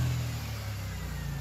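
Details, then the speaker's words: 2000 Toyota 4Runner with failed fuel pump, unrun for a year and a half, running on a fuel vapor system: brief steady, even engine note with no misses after clearing some fuel it had sucked in. "right so it cleared up after that it just apparently got a little bit of fuel in it"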